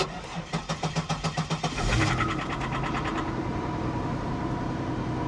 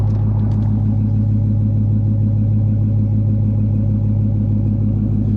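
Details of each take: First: 2002 Pontiac Grand Prix GTP, 104,000 miles, boost gauge, cold start: starter cranks in quick even pulses about two seconds, then the engine catches with a rough, harsh flare; sounded bad at first, cause unclear. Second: 2016 Dodge Challenger 5.7 L Hemi V8 with Shaker hood, exhaust note; deep, steady, even burble with no misses or ticks; normal healthy V8 exhaust rumble.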